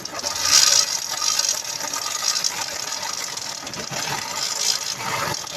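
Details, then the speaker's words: 2004 Honda CG Titan 150cc motorcycle engine running with a thin, constant metallic rattle and whirr of a worn bearing, possibly crankshaft, clutch bell or balancer bearing, plus a small noise at the clutch bell. "barulho no motor vou est mostrando aqui a vocês ó barulho de rolamento ó e ela também tem um barulhinho na Campana"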